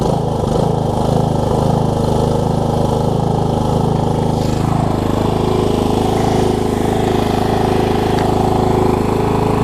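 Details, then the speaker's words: Murray riding mower on first run after adding oil and a little gas: steady, even single-cylinder chug holding constant speed with no misses or knocks. Engine running healthy. "let me get gas in it so it's not leaking we'll crank it up and see if it'll stay running for us"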